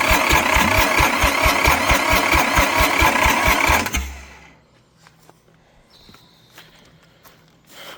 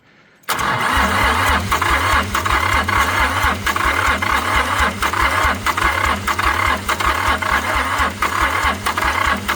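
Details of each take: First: Long-abandoned International 284/285 4x4 diesel tractor, fuelled, primed, with glow plugs refitted and idle-up not connected: steady cranking at about two beats a second, no firing, then silence. It turns over without starting; owner wants more throttle and glow plug. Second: International 285 4x4 diesel tractor (title says 284), revived after sitting, cylinders previously filled with ATF: catches at once and settles into a fast even clatter with steady low beat and some rattle; runs well, white and black smoke from burning ATF.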